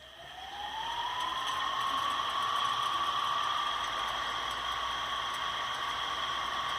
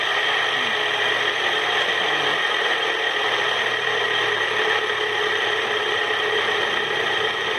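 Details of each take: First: Ceiling fan that seized after water got inside, after bearing replacement with 6201 bearings: whir climbs then holds steady with only a faint light tick; running normally. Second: Ceiling fan about a month old, rusted after water got inside: harsh grinding whir with steady ringing tones from bad 6201 bearings, later replaced.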